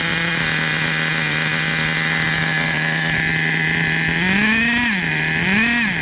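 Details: Traxxas Revo 3.3 nitro RC truck, engine retuned and good; it still needs a new transmission, spur gear, starter motor and one-way bearing. A high, steady buzzing whine holds evenly, then rises and falls cleanly twice with throttle blips; normal running.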